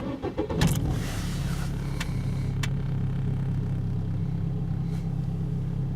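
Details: 2004 Holden/Opel Astra Ecotec restarted during a scan-tool session: a brief crank, it catches quickly, then settles into a smooth, low, even idle with no knocks or stumbles; a healthy start and idle.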